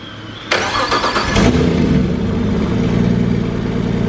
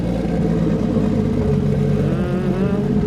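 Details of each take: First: Nissan RB25DET in an S13 on Haltech ECU with new wiring harness and drive-by-wire, first start: cranks and catches into a lumpy uneven idle with stumbling beat and rattling; seems not running on all cylinders, throttle pedal not responding. Cause not confirmed. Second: RB25DET in an S13 with Haltech ECU, new wiring harness and drive-by-wire pedal from a 350Z: smooth steady idle, then a clean rise in pitch as the throttle opens, no knocks or misses; engine sounds healthy.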